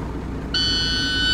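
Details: 2010 International Prostar, automatic transmission, at low idle: a single steady high-pitched one-second beep as the selector refuses the gear with the brake pressed. No brake lights. Suspected faulty brake switch.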